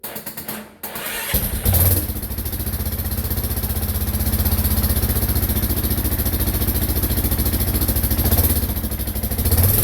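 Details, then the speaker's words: Yamaha Kodiak 450 ATV rebuild, exhaust with big muffler refitted, tank just mounted, battery charger on: short crank, catches, steady even single-cylinder thump, no knocks or misses; sounds good, normal start-up and idle. "I was kind of starting to think it was going to sound a bit wussy with that big muffler on it, but it doesn't sound too bad at all. It sounds pretty good."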